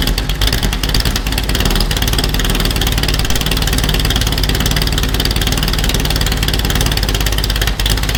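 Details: Superformance GT40 V8 with Roush engine, after replacing a failing starter (bad solenoid) with an upgraded unit: starter spins briskly, it catches cleanly and settles into a strong, even lumpy idle; starting system healthy.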